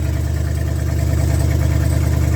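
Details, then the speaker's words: Old V8 truck engine, likely the 1978 Ford F-350 ex-U-Haul, run briefly with radiator removed: smooth, steady low idle with an even beat, no knocks, misses or ticking; healthy normal idle. "But it sounds like a healthy engine. We won't run it for too long because the rad's not in it"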